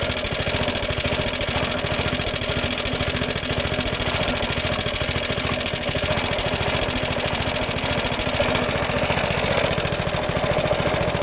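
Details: Suffolk Punch mower, small single-cylinder, after fixing the locked drive that would not disengage: steady even beat with no misses or knocks while mowing; runs, cuts, drive engages and disengages as it should, though it cut out once.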